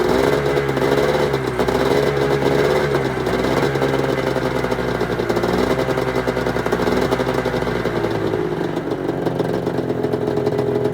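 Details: 1996 Arctic Cat ZRT 600 two-stroke snowmobile after fuel pump rebuild and priming: steady idle buzz with small rev swings, no stumbling or dying; air bubbles cleared from lines, holding good, normal idle.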